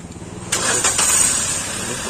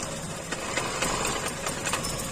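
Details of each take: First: Maruti new WagonR petrol with P0302 cylinder 2 misfire and engine light; after replacing the faulty cylinder 2 ignition coil, the engine cranks briefly, catches cleanly and settles into a smooth, even idle. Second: Maruti new WagonR petrol idling with check engine light (P0302): uneven stumbling pulses and vibration, cylinder 2 dead from a failed ignition coil, confirmed by unplugging; coil replaced.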